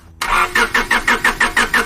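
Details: Engine cranks but won't start: even starter cranking at about five compression pulses a second with no catch; all four cylinders confirmed getting spark, cause not yet confirmed.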